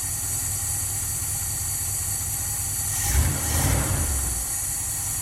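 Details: 1977 Dodge van 318 V8 2bbl after mileage/horsepower rebuild with changed air intake, first cold start, idling in gear: low steady even rumble, quiet, no ticks or knocks. Normal idle.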